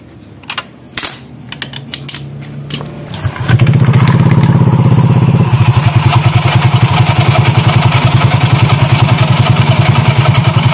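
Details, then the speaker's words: Honda Vario 150 scooter CVT upgrade with a 1 mm thick slip ring added: idles with a coarse, rattly belt noise, slightly noisier because the belt is pinched tight in the front pulley (13.8° pulley vs ~14° belt angle). "Oke teman-teman jadi ketika kita pasang ring sleep ini jadi si suaranya sedikit lebih berisik ya sedikit lebih berisik karena si panbelnya semakin mengecil yang depan itu semakin kejepit"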